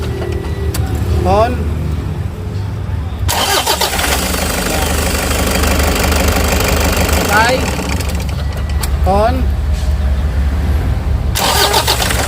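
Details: 2014 Toyota Hi-Ace commuter diesel after starter repair (it had only clicked when cranking): brief quiet, then the starter spins briskly and the engine catches cleanly into a steady run; starter engaging properly.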